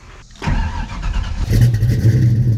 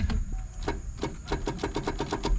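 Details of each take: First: 1989 Ford Mustang 5.0L, Vortech V1 supercharged, sat about 15 years, new mini starter replacing a locked-up one: brief crank, engine catches within about a second and settles into a steady, even run; clean start. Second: 1989 Ford Mustang 5.0L with a Vortech supercharger, sitting about 15 years, fuel pump running: rapid even solenoid clicking with no crank; the solenoid was found bypassed, with battery positive running straight to the starter. Cause not confirmed.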